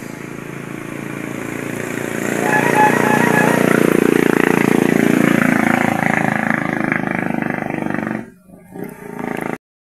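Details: Barako 2 motorcycle single that had been misfiring and dying once hot; after the CDI socket was repaired and the regulator tested OK, it climbs smoothly to a steady high rev, holds without misses and drops back cleanly: running healthy.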